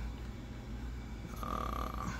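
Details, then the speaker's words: Anycubic Kobra S1 Combo with a second ACE Pro filament unit added, unit switched on and slot A2 selected: a low steady whir rises as the feeder wheels start turning, smooth with no clicks or grinding. The feeder is working normally. "Yeah, you hear the wheels turning."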